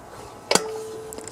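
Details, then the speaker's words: Briggs & Stratton Platinum 21hp engine turned over by hand: one sharp click with a short metallic ring from the compression release at top dead center on the compression stroke, louder than usual, pointing to a faulty compression release. "usually it's it's not as pronounced but you can hear it when that uh galco you know if the valve goes through and it's top dead center on the compression stroke and you feel that you can hear the click of that uh uh compression release well that was pretty loud"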